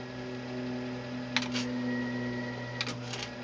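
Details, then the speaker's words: Tascam 112 cassette deck after restoration and service with new modern lubricants: low, even motor hum with a few crisp clicks as it switches from rewind and forward into play and pause; transport quiet and smooth. "beautiful handling i'm gonna go right into play instant no noise"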